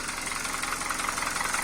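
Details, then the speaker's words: 2012 Hyundai Veloster gasoline engine: sharp, fast metallic clatter over the idle keeping pace with engine speed; strong lower-end knock in two cylinders, blamed on lack of lubrication, read as worn piston pins. "E detectamos aí batida na parte de baixo em dois cilindros mais forte muito grande aí já detectamos aí problema"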